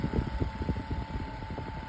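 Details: Vintage 7-inch Zero desk fan model 1250R running: steady mid-pitched motor hum with soft airflow and a few handling thumps, no rattle; fan runs smoothly.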